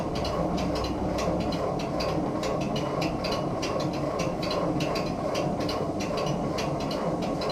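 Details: 1947 Ford 8N tractor after the worn distributor rotor shaft was replaced with a used part and points refitted to verify timing. Steady rhythmic cranking goes on without ever catching; the cause is unknown.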